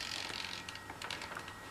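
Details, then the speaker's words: E-Flite 64mm F-15 EDF jet with AS3X stabilization active after a throttle advance: quick, irregular high chirps and ticks as the servos flick slightly to counter wind inputs, which is normal gyro stabilization. "now you can hear it chirping as it controls to flick just a little bit to counter"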